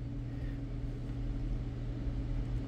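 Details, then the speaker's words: BMW E60 electric water pump bench-tested on 12 V with pins 1 and 3 powered and grounded: steady low hum and buzz with no spin-up, motor faulty. "so what I notice is this something's wrong with the motor because it won't start"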